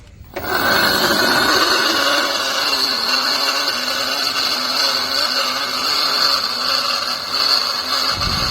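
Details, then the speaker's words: Aahana e-rickshaw loader 1500 W motor, removed and spun freely, gearbox noisy while driving: harsh rough whirring, high whine and gritty rumble; motor bearing worn and must be replaced, gearbox to be opened and checked. "Motor का बहुत गंदा आवाज है तो इसके लिए यह motor का जो बेयरिंग है इसको चेंज करना होगा"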